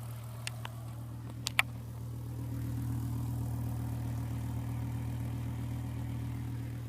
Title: 2007 BMW M6 S85 Whining Noise